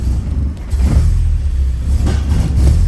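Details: 1984 Porsche 944 in neutral after its computer was checked for moisture; it idles fine but stumbles and breaks up when revved, won't pass 2,500–3,000 rpm. Smoke test shows no leaks, fuel lines new; crank sensor and throttle body not yet tested.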